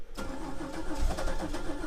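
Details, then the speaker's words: 1997 Chevrolet Camaro rescued from the crusher, first start attempt, fuel pump heard priming: cranks and catches with uneven, stumbling pulses, firing only a cylinder or two, never running; misfire. "oo it's definitely uh sounds like she's trying to go like it's firing on a cylinder or two but just not enough to"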